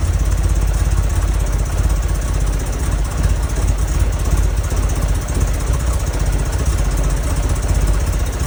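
Low, lumpy idle with an uneven pulsing beat and wavering loudness instead of a smooth run; the engine is idling rough. Cause suspected, not confirmed.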